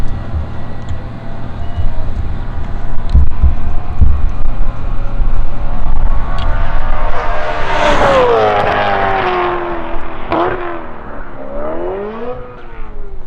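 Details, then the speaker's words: BMW E9x M3 on track with full titanium exhaust, downshift 4th to 3rd throttling through turn 1: engine note flares sharply as if in neutral; transmission slipping, later stuck in 5th gear, failure not yet diagnosed. "So we went from 4th to 3rd and tried to throttle through turn 1, and as you can tell from the video, it just sounded like it was in neutral,"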